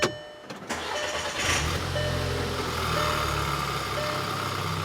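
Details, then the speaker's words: 2009 VW Passat 2.0T GDI that stalls intermittently and won't restart: cranking catches and fires into a steady idle once fuel pressure returns; faulty fuel pump module, pressure dropping. "and that's what we had before this thing needs a fuel pump module our pressure's dropping"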